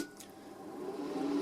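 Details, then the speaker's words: Off-grid solar charge controller (Solar Tracker 5) cooling fan: steady mid-pitched whir rising to full speed and holding evenly; fan runs constantly to cool a massive heat sink, normal, though an earlier fan burnt out. "because this thing inside has a massive heat sink, and so it needs the fan to run constantly, and that makes a lot of noise."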